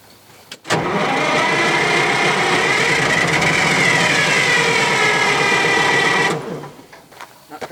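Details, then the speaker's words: 1968 GMC water truck with old Detroit diesel: long fast even cranking about six seconds without firing, turnover free and light; old tired engine with low compression. "it's old tired detroit low compression don't worry about it"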